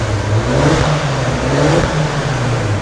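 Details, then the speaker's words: R56 Mini Cooper S, N14 engine, after full rebuild with reconditioned cylinder head, 16 new lapped valves and new stem seals; being revved before a drive. Smooth, full-bodied rev, steady low drone, no misfire or knock; runs properly now, though throttle response is poor and the oil warning light comes on. "It runs. Like in the beginning of this video, it it was broken. It ran really badly, and now it drives."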